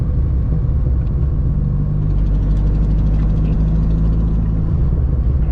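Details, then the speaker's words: 2005 Dodge Neon SRT-4 turbo, driving under load: deep, loud, raspy rumble with a coarse chuff on top, like a tractor; owner suspects an exhaust leak from a hole in the manifold, not confirmed. "god that exhaust leak it sounds like there's a hole in the manifold what the heck sounds like a tractor like a dodge viper"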